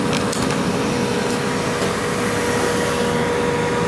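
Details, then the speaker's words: Old heater being rough hooked up to see if it still works, smoking a little from condensation: steady, even fan whir with a faint constant hum, no rattles or scraping; making warm but not tremendously hot heat, running normally. "Yeah, kind of smoking a little bit. It always sort of did that. Condensation, and this fan's running. Yeah, and we're making up some heat here."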